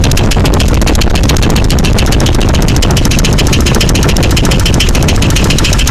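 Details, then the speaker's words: Jeep 4.0 at idle: sharp, even ticking at about ten a second over a heavy idle rumble; the valvetrain tick persists after replacing all lifters and pushrods and gets louder at higher rpm. Cause unknown. "All the push rods, all the rockers are moving. Don't mind the antifreeze, I made a mess. But I'm still getting this tick."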